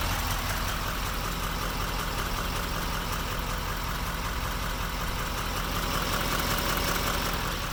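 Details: 2016 GMC LML full-delete diesel idling with a light, fairly quick, irregular clicking over the rumble; injector cleaner already added, cause unknown.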